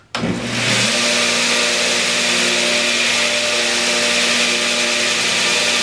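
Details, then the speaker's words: Homemade 2x72 belt grinder, now with aluminum wheels replacing roller-skate wheels and rubber legs fitted: motor spins up fast, then holds a steady, even whir and belt hiss with no thumping or wobble. It runs smooth and won't stall when metal is pushed in. "this really works smooth this is a smooth working grinder I tried to stop the wheel a couple times shoving some metal into it I can't stop it there ain't no stopping this machine it will grind"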